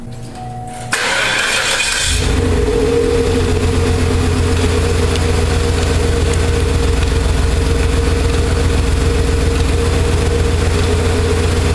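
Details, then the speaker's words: 1995 Cadillac Eldorado Touring Coupe after A/C compressor delete (failed clutch and compressor), pulley shimmed with washers and belt refitted, test fire: quick crank, catches, settles into steady even idle with no knocks or squeals; running true. "It's running pretty true now."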